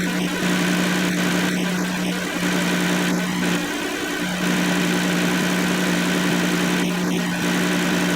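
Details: 2007 Kia Sedona 3.8L idling with newly installed AC compressor (old clutch windings shorted) just switched on: steady, even hum with no clutch chatter, rattle or grinding; normal idle with AC compressor engaged.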